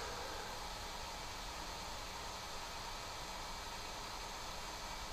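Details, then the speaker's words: 3D printer after swapping stock cooling fans for quieter replacements, measured about 70–72 dB versus 88–90 before: soft steady airy hiss, no buzz, rattle or whine; fan runs smooth and quiet. "là on peut descendre jusqu'à 72 là ça tourne autour de 2 72 70 71 donc même ça descend en dessous des 70 donc franchement on peut voir une réelle différence"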